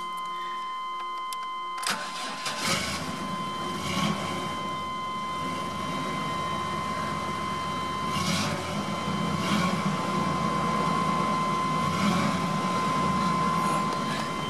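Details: 1997 Chevrolet Astro after repairing a cheap eBay fuel pump whose hose had separated from the pump head; starter whirs briefly, engine catches within a second and settles to a steady, even idle.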